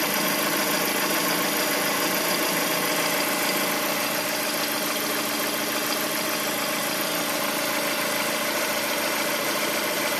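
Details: Lada Priora engine at idle: light, fairly regular tapping about twice a second over a steady idle, clearly heard after a throttle blip; cause undetermined; engine knock at idle.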